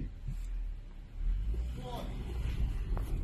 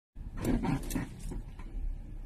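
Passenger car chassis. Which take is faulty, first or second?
second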